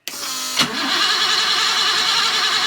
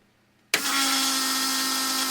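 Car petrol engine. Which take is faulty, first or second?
first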